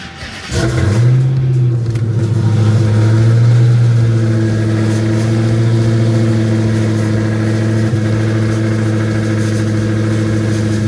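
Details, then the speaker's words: Dodge Hellcat V8, after teardown for a rough idle with no codes, started on a jump box: cranks, catches, flares briefly, then settles to a steady, even idle with no stumble or shake; running fine now. "well she's not shaking so I think we're good"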